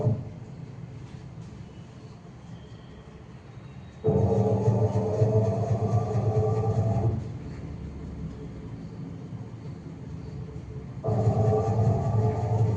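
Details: IFB 8.5 kg top-load washing machine on spin, customer complaint of loud spin noise: loud rumbling bursts with a rising drone coming and going, pointing to a drum working loose on its shaft nut.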